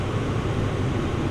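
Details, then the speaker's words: 2004 GMC Envoy after replacing the fried blower control module (fan wouldn't turn off): steady even air rush with low hum, no rattle or flutter, running on low then through speeds; normal blower operation. "all right so I hear the fan on just low speed and of course the fan was not on with the key out of the ignition so let's go ahead and run through the speeds here"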